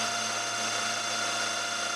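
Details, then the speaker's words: 6mm tungsten carbide end mill climb milling steel in milling machine collet: steady high ringing squeal instead of clean hiss, chatter/vibration; workpiece suspected too far out of vice. "you can hear a bit of vibration it doesn't help that I'm climb milling and I've set the"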